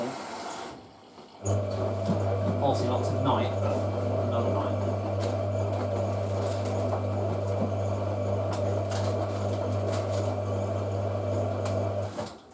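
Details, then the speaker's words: April 1986 Hotpoint 9530A Electronic 1000 Plus washing machine during a wash: steady low motor hum with a thin, continuous squeal over the tumble; the drive belt is dry and squeaking. "I love how you can hear the dry belt squeaking."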